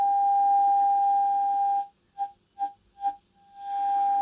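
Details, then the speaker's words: Tube radio RF alignment with oscillator tuned and signal generator test tone at 6.1 MHz: a clean steady tone that drops out and pulses back as it's tuned, received exactly on the 6.1 dial mark. "that is exactly on 6.1 exactly I couldn't make it closer"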